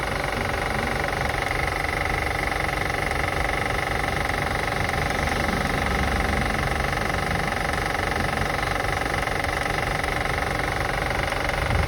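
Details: 2005 Acura TL after starting and running: light fairly regular tick roughly three per second over a steady idle; engine ticking being assessed, source not pinned down.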